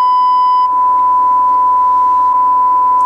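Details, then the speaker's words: Cobra 21LTD CB radio during alignment, modulation set to about 100%: loud, harsh, clipped square-wave tone near one kilohertz. Modulation jumps from 70 to 100%; a modulator fault is suspected. "you can hear the tone you can hear from the analyzer hear that that's the square wave I can tell without putting on the skull I'm getting the square wave audio response - sounds horrible"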